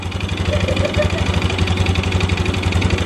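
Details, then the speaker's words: Yamaha Xeon 125 carbureted scooter, hard to start, no smoke, weak power: light, regular tek-tek tick over the idle; suspected worn piston slapping in the bore, which can sound like a con-rod or roller noise. "suaranya itu kalau matic itu kayak suara roller video tapi di bagian sini Sepertinya itu suara pistol yang borate"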